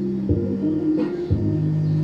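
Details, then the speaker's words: Kevler GX5 amplifier after repair of a broken, hidden RCA input connection that had caused hum and one dead channel: music plays cleanly with steady bass, no hum or dropout, all channels working. "nagkaroon na siya ng signal mga [Musika] kalikot Ayan okay na yung lahat ng channel niya"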